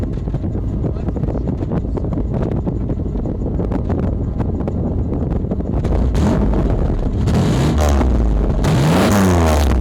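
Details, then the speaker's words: 1986 Oldsmobile Toronado, stock exhaust: deep, even burble climbing cleanly as revs rise, no misses or knocks; healthy engine. "Like, mind you, this is a stock exhaust. It's not going to sound too great, but let's clip it like that."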